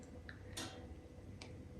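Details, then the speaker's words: Home heating radiator that recently began making noise, new behaviour: faint irregular ticks and crackles like dripping over quiet room hum; cause unclear. "так до слова в мене ще одна батарея почала робити цей дивний звук от чуєте вона так як капає щось щось"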